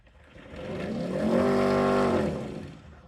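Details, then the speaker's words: Nespresso VertuoLine after disassembly, cleaning and lubrication so the capsule spins freely (spins about 7,000 rpm), light solid: smooth whine climbs, holds an even high pitch about a second, winds down cleanly; capsule spin healthy, brews espresso. "So I hear the machine making that noise that it normally does."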